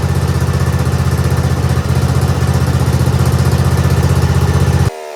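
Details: Craftsman GT6000 garden/snow plow tractor at 26°F: steady quick thump about four beats a second, then abrupt cutout; runs only at full to 3/4 choke, stalls past half; owner blames gas left in carburetor all year.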